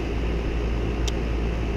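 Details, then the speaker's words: Duquesne R-410A condensing unit that was not cooling after another company's work, after correcting the refrigerant charge (20° superheat, head pressure below 400, subcooling below 30): a steady low hum and fan rush with no rattles, surging or squeals. It is running normally. "My camera's going dead, guys, so I was able to get everything in, but system's performing much better."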